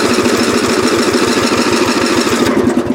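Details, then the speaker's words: Lawn tractor about 35 years old (possibly 1982–83), restarted hot right after driving: the starter churns the small engine steadily but unevenly and it never catches; hot no-start, owner suspects the ignition coil and plans to replace it. "see this is our it up see it doesn't want to start"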